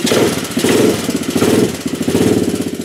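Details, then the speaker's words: Honda chopper riding under load after a cold start, unused for over a week: engine pulses at about 80 per minute with an uneven rhythmic rasp. Owner thinks the loose chain rubs inside the housing and needs a tensioner pulley. "that noise you're hearing I believe I got to get a uh pulley system or something to tighten this chain up down here a little bit cuz I think it's rubbing in inside the housing there somewhere"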